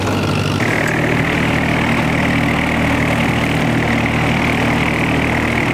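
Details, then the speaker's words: Tractor mowing after its fuel-draw problem (stumbling under load) was fixed: strong, even engine drone holding constant pitch under mowing load, no surging, sputtering or misfires; runs healthy. "well the tractor ended up doing totally great um did great i got everything mowed"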